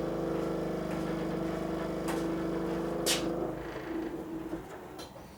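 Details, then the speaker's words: 1985 Ferrari Mondial QV left pop-up headlight motor after blown fuse: strained hum drags about three seconds then stops amid scattered clicks; headlight struggles to rise without help, owner suspects damaged motor. "So as you can see, it's struggling to come up, but just with a little bit of manipulation it comes up. Yeah, something's not right."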